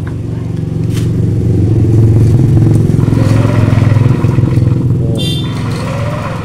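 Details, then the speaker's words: Yamaha NMAX with a snapped cam chain; spark is strong and the piston moves, but cranking gives an uneven, hollow churning at about three to four beats a second with no firing. "di sini piston masih bergerak Pak namun Kok suaranya aneh Pak"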